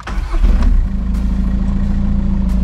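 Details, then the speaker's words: VW Golf V diesel, first start after engine reassembly with cylinder head and timing belt refitted, after months off the road; took 3–4 minutes to reprime: fires quickly, steady even idle clatter, no knocking, runs smoothly; camshaft adjustment still pending. "le moteur tourne bien j'entends pas claquer ça a l'air de tourner rond"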